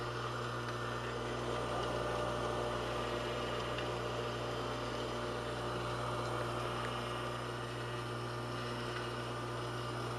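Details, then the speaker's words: Rebuilt Craftsman table saw motor running with steady hum, a dragging start-winding sound, ticking and a faint rattle; owner thinks the forward bearing is worse than expected. "that dragging noise that was the startup winding that ticking noise it's that rattle I don't like hear it"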